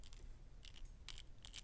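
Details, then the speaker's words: FMS Mashigan RC truck diff with no grease from the factory, gears turned by hand with no driveshaft attached: faint gritty high clicking and scraping from the dry, unlubricated differential gears, which already sounds not great. "and it's not there is not a lick of grease on this at all and you hear how that sounds already not great"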